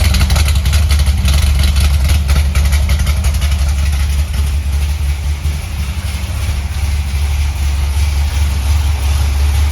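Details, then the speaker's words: C6 Corvette Z06 first start after correcting the pushrod dimensions, following repeated failed attempts: deep, even V8 burble at idle with a steady lope and no ticking or knocking; normal idle. "She is alive, sounding good. Let's go. I am so excited right now. This car is finally running."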